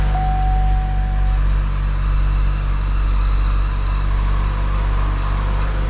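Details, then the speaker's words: 2014 Chevy Cruze 1.4L turbo with a replacement engine, first start: it catches fast and runs well, but a thin belt squeal rides over it and fades, expected to go away as it warms up. "It sounds like an engine with 1,600 miles on it, Yeah, except for the squeaky belt. we got a little That'll go away. belt squeak going on, but that'll kind of go away as it warms up."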